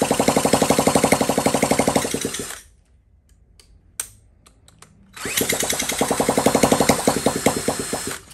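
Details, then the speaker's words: 1979 Honda Z50 with fuel poured directly into the carburetor bowl from a nearly empty bottle: uneven popping about four beats a second fades out, then catches and sputters again; fuel starvation stall as the carb runs dry. "see if it got any into the ball at all yeah it's it's coming out the bowl oh so close"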